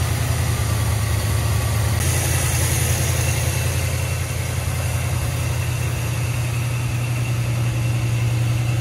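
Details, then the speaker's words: 1981 Chevrolet Corvette with Corvette Clinic turbo, barn find stored about 30 years, first start on petrol poured in, smoking hard at first: deep steady even idle, good oil pressure, no knocks or misses; normal idle. "she's running very nicely oil pressure is good"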